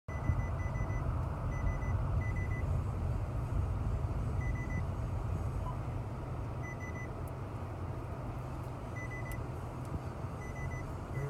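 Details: 2016 Honda Civic Touring while driving: short, high beeps in scattered bursts every now and then over road rumble, with no clear pattern. Intermittent warning beeps, cause unknown.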